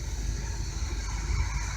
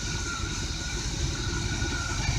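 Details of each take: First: 1985/86 Chevy 454 RV engine after new plug wires, spark plugs and alternator belt: deep, steady V8 rumble at about 750–800 rpm idle, slightly high, vacuum near 20–21 inches, no misses; running smooth, normal idle. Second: 1985/86 Chevy 454 RV engine, first start after new plug wires and platinum plugs: slow, deep, loping idle barely ticking over at only 500 rpm, slightly uneven; idle speed too low, needs raising.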